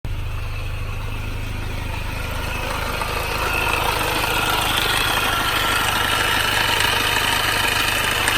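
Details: Mini R53 at idle with a steady metallic rattle at about three to four beats a second, after the timing chain tensioner, chain guides and PCV valve were replaced; source still unknown.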